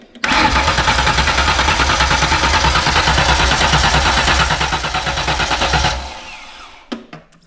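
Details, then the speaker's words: 1995 Ford Explorer with stock engine: steady starter cranking about three beats a second for six seconds without catching; owner suspects a compression issue, comparing cranking with and without spark plugs. "what I'm going to do is crank it without the plugs in it, and I'm going to put all the plugs back in it. Crank it again. Sounds a little different."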